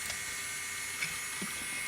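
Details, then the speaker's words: 1998 Pentium Pro rig low on RAM (31 MB at idle, half in swap, rising to 93 MB) while loading a 6 MB JPEG: a thin whine with quick seek clicks about every half second as the drive holding the photo and page file thrashes. "but everything i click now i can hear that swap file going and it's definitely taking a longer time for stuff to load and pop up"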